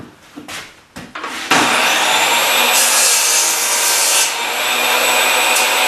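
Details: Old Craftsman table saw after repair, including motor brush work. The motor spins up, then a steady high hiss and rasp as the blade cuts wood evenly without bogging; cutting normally.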